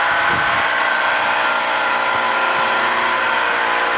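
Loud, steady buzzing drone with a faint high tone running through it and no rhythm change; abnormal noise, cause not pinned down.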